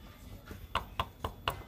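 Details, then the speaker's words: Honda Supra X 125 motorcycle, engine open, connecting rod pulled forward and tapped by hand near camera: sharp metallic clicks about four a second show rod play; worn connecting rod needing replacement. "nah terdengar ya Ada suara klek klek klek klek tuh nah itu salah satu ciri bahwa stang pistonnya itu ya sudah kena kita ganti"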